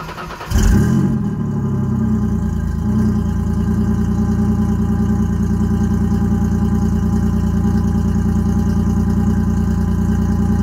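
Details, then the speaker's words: Ford Ranger 3.0 V6 cold start before a header install; exhaust is 3-inch neck-down to 2.5-inch, three-chamber Flowmaster and 3-inch dump over the axle, no cats, O2 sensors zip-tied to the frame: quick catch, then a deep, steady, even idle. Normal. "we're going to fire it up cold see what it sounds like with how it is before the headers"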